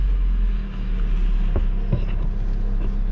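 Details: Kia Rio, after technician repair of a no-start where the check-engine light did not appear at ignition-on, computer box and battery reinstalled: deep, smooth rumble as the just-started engine settles into a steady run. Normal running.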